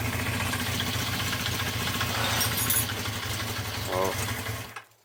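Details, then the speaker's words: 1974 Honda CB350 Four, laid up 20 years, after draining the carbs, with blocked pilot jets suspected, started without choke: an uneven, stumbling idle that then cuts out, little improved. Poor running off choke. "Not much different at the moment."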